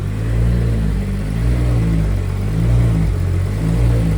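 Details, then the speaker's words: Turbo Toyota 2JZ on first start, just after the injector was plugged back in and with no throttle cable set up: a deep, lumpy, uneven rumble swelling with throttle blips. Air-fuel ratios can't be read, and it smells very rich, so it is running rich. "not say running it's really [Music] rich go crank it out there it's really rich and smell it"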